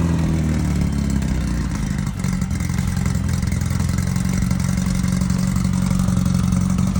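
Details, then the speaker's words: Early 1968 rally VW Beetle with freshly built 1776cc air-cooled flat-four, first start after engine install, to be broken in; about 95°F outside, fan running. Deep, even low rumble holding steady, no knocks or rattles: normal running. "finally this car's got a motor she's got the heart back in it the heart transplant is has been done and now we're going to fire it up and break it in and uh go from there"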